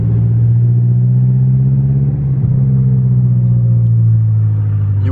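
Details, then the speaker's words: BMW F10 M5 after a wastegate rattle fix, driving at low rpm and low speed on light throttle: deep, smooth exhaust drone with no rattle, where the rattle used to come on lifting off the gas. "would have heard it for sure right there, 100%. Because I just passed by a car. Here too, you would hear it 100%. Nothing at all."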